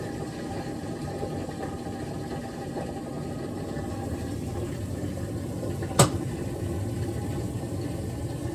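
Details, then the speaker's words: GE top-load washer with lid lock bypassed, lid closed, wash about to go into rinse: quiet, steady churning hum with one sharp click partway through; cycle running normally. "And if you can hear, it was washing. It's just about to go into the rinsing mode, but just wait and see."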